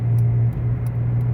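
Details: Dodge Avenger, possibly 2012: deep steady droning roar like a small plane under road noise while driving, changes when steering moves slightly; seems driver side front; worn front hub bearing, later replaced with brakes. Wheel bearing roar.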